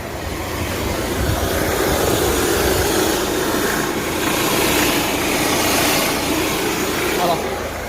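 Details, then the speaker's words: Opel Astra H 1.7 CDTI diesel at idle without throttle, heard in front of the engine: steady rushing hiss of escaping air varying with turbo management; pierced boost hose between turbo outlet and intercooler, which the owner first thought was the fan. "voilà vous entendez le bruit d'air"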